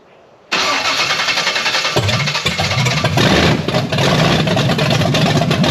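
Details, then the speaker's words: Blueprint 540 big block Chevy in a C10 with open headers, Holley 870 Street Avenger carb, second attempt at setup; cranks, then stumbles and coughs unevenly, never catching clean; hard starting, timing suspected to be way out. "man that's acting like it's way out on timing"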